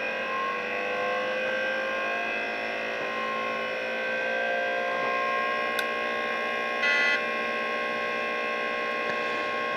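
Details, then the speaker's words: DEC VAXstation 2000 hard drive spun up during teardown before reassembly: whining spindle with a rough edge and odd clicks and chatters; spin-up sounds rough and seeks sound wrong. "sounds a bit rough and the seek doesn't sound correct but anyway we'll put it back together and see what happens"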